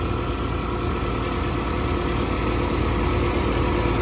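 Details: Farm nurse tank pump transferring liquid, heard right at the tank: heavy steady drone with even churning pulse about three per second, constant under load; working normally.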